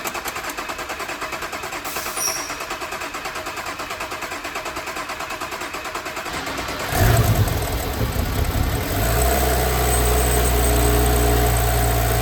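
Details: Audi B9 S5 at 58,000 miles after rocker arm upgrade, walnut blasting of intake valves, new water pump and thermostat: steady rhythmic cranking, clean catch, brief flare, then smooth even idle; healthy.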